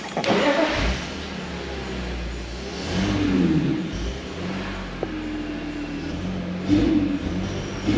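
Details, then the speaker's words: Drift car after hydrolock from water ingestion at Driftland: engine stumbles and surges unevenly when revved, badly misfiring, no smoke; MAF and air filter possibly still wet. "Okay, that is one sick puppy, isn't it?"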